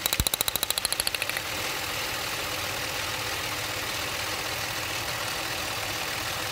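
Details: Idling engine with a spark plug wire pulled; rapid sharp snapping, about eight to nine cracks a second, cutting out after a second over engine hiss; ignition lead arcing erratically.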